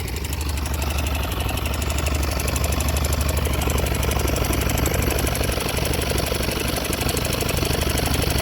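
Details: YB single-cylinder motorcycle with rapid light ticking, about three a second, over a lumpy idle; unusual mechanical engine noise, cause suspected but not confirmed.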